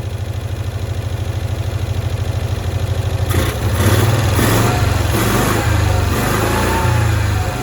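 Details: 1965 Cushman Truckster small twin, sitting one year, after freeing a stuck screw and valve: settles into a fairly even, quick idle pulse with a few clatters over it later; running properly now.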